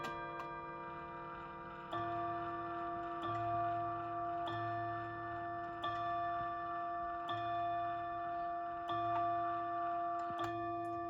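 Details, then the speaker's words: Seth Thomas Plymouth 1700 Series electric mantle chime clock after service: faint motor hum, then seven clear evenly spaced bell strikes for 7 p.m.; strike train working normally. "You have to kind of be standing right in front of this thing or in the surrounding room to actually hear that and be able to count it, unless you're really listening hard."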